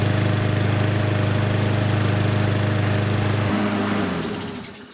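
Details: Lawn mower with auto-choke arm bent back so the choke butterfly closes, starting on first pull: fires quickly, settles to smooth, even beat about 220 per minute before cutting off; normal running.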